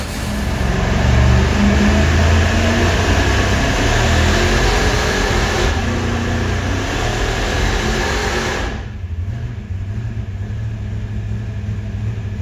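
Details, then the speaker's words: Supercharged 483 big-block Chevy V8 warming up on the dyno: deep, even idle swelling in a couple of light blips then settling, firing smooth and regular; engine sounds healthy. "So, uh, here's what it sounds like with Gary just warming the engine up. Just just an island. It sounds amazing."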